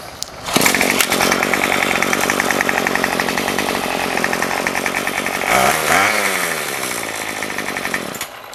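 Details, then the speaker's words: Remington pole saw two-stroke after carb rebuild and fuel line replacement, no head fitted so unloaded: steady high buzzing with even firing beat, brief rev near six seconds, settles smoothly; runs fine, mixture possibly a little rich. "it's hard to adjust the carburetor because there's no load on it I think it might be just a little bit on the rich side"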